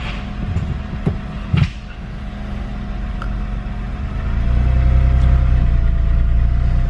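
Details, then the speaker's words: Stock Honda Insight converted to a small ball-bearing Garrett turbo, IMA disabled, started on the 12-volt starter. Catalytic converter retained, 2-inch piping, chambered Dynamax muffler. Clicks, then a low, quiet, even exhaust rumble with a mild rev rise. Normal running. "Even with the larger exhaust, it's still almost the same sound as what it had. It's very quiet."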